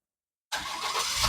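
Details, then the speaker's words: Perodua Bezza 1NR engine that cranked but would not start, after replacing and programming the BCM over CAN bus faults; brief crank, immediate catch, steady even idle; normal first-try start. "Okey kereta jadi normal. Ah kereta normal start."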